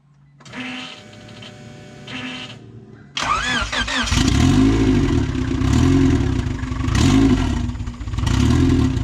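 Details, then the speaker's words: Honda Del Sol with freshly installed D16Z6 turbo engine on E85, first crank: several seconds cranking, then a lumpy idle swelling and sagging about every 1.5 s, spitting fuel, fuel pumps audible; owner suspects running rich. Rough running after start. "spitting a little bit of E85 they might be running a little bit Rich you hear the fuel pums working"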